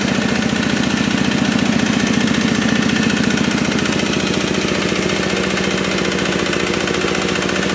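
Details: Kubota RD65DIS single-cylinder diesel after cylinder head service, exhaust fitted, driving a soil/clay grinder for brickmaking: even thumping under load with slight rough rattle underneath; smoke gone, combustion fine, rough noise from worn engine gears.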